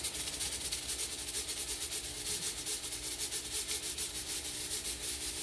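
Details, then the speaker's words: Revived 20-year-old fog machine after running fluid through to flush debris: even hiss with a fast steady pump pulsing as it finishes priming and squirts well. Burnt smell gone, now fogging normally. "You can see the pump is still priming. There it goes. Now it's fully primed, and you can see it's squirting really well."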